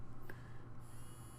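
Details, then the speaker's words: Small DC motor driven by Arduino set to 255 via serial monitor, maximum speed: quiet steady low hum, no wobble or grinding; normal smooth running at full speed. "And as soon as I type that, it goes up to maximum speed."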